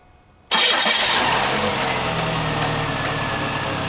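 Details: 1996 Chevrolet Cavalier 2.2 just after water pump replacement and coolant refill: brief crank, then it catches cleanly and settles into a smooth, even idle with a steady hum; healthy.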